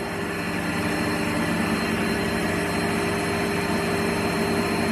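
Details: Lathe motor after replacing the speed potentiometer with a pot wired in series: spins up to a steady, even hum at full speed with no surging or roughness; smooth and healthy.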